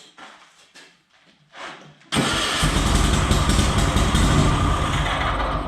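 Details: Cub Cadet tractor twin-cylinder engine, previously running on one cylinder from suspected rodent damage, during a spark test with tester fitted; quiet rustling, then it catches abruptly into a steady even low thrum; clean start, no misfire.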